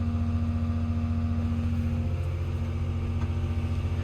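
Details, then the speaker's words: Construction machine diesel after the newly fitted rail relief valve was pulled and refitted: deep even roar with strong low-end rumble, no misses; tons of power though still in limp mode with check engine light. "I've put it back in and it's working a treat look got tons of power"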